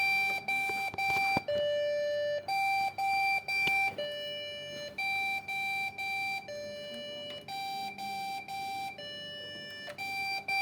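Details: Branded Dell/HP/Lenovo PC at power-on: repeating beep pattern of a longer tone followed by a string of short beeps, cycling every couple of seconds; the board reports a CPU-related beep error.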